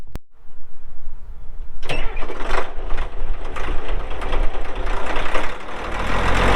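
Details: 1980 Caterpillar D6D bulldozer, 140 HP diesel, 9,255 hours, PowerShift: brief quiet, then the diesel catches quickly and settles into a steady deep even idle; normal start and idle.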